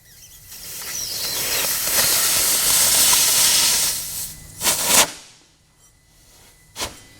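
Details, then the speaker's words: 2003 Honda Element with spark plugs removed: a screwdriver touches the piston through the number two plug hole, which had a big compression leak, and air rushes out the tailpipe in a swelling hiss and puffs; burnt exhaust valve. "it's completely blowing through here and this is our result I'm holding it is building up there you will hear it"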